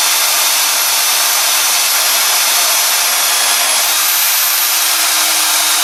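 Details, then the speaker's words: Drill with a bit freshly sharpened on an Ozito DBS-095 sharpener, cutting 6 mm steel plate: steady high whine with a clean, even cutting hiss, no chatter or squeal, making a neat hole; sharp bit cutting cleanly. "right, that went through no problems at all. That created a reasonably nice, neat hole."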